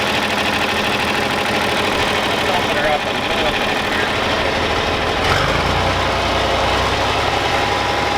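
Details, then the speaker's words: John Deere 4020 diesel tractor started after sitting two years: catches partway through cranking and settles into a steady, even idle with no knocks or misses; runs healthy, normal start and idle. "well there you go guys she's a runner and she'll never die you can always trust your John Deere"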